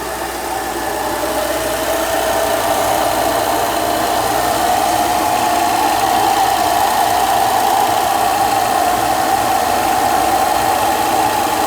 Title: 2011 E70 X5 35i strange howling sound on start up. Then goes away